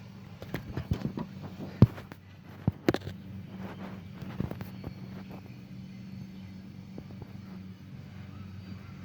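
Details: 2005 Honda Pilot: repeated sharp clicks about one a second with no cranking and no start, though it would jump start; starter starved by a frayed negative battery cable.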